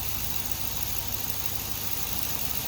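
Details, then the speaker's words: Engine started after starter work: smooth, even idle with steady purr, no knocks or misses; normal idle, owner says sounds much better, rod knock concern dismissed. "you hear that sounds much better sounds much"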